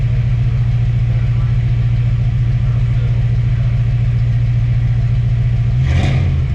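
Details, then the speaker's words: Chevrolet Caprice V8 after a new cap, rotor and water pump: strong, steady, even rumble with a quick snappy throttle blip and no tapping, revving healthy. The earlier suspected lifter noise is thought to be from cap and rotor buildup. "You want to hear how snappy this puppy gets?"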